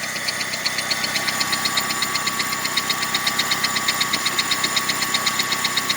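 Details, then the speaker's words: 2002 Saturn 1.9 L engine at idle: a sharp, very even metallic ticking about four times a second over a soft hum. The owner suspects a rocker arm, valve spring or worn loose camshaft and says it does not sound like a rod knock; diagnosis pending. "algún balancín, algo que es acá arriba de la cabeza, un balancín o un resorte, o tal vez el árbol de leva ya se gastó y está flojo. No suena como biela, pero voy a diagnosticarlo a ver qué en realidad es lo que tiene."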